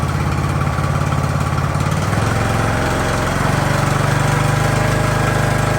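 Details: Ariens hydrostatic-drive riding mower, sat at least two years, idling in neutral at about 30 degrees with the drive belt disconnected: small single steadily chuffing at an even idle, no stumbling or dying; normal idle.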